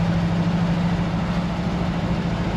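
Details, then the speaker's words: 1964 Ford F100 with 292 Y-block V8, after intake leak fix, driving around 1600 rpm: low, lumpy uneven rumble; feels like it's running on six or seven cylinders; misfire suspected, plugs to be pulled. "I don't think this is even running on seven feels like it's running on six"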